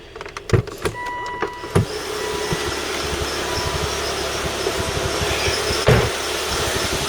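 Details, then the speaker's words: Volvo XC90 T5 with intermittent misfire (P0302, P0305) and oil leaks, idling with short thin high squeaks over an uneven background from the auxiliary belt area; cause unknown. "also i hear a squeaking noise coming from the uh from the auxiliary belt there i don't know what that could be anyway"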